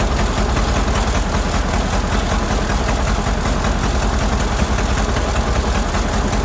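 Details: Model AA doodlebug four-cylinder: low lumpy idle with uneven stumbling beat; shorting plugs with a screwdriver shows numbers three and four not firing well; a stuck-open valve suspected earlier.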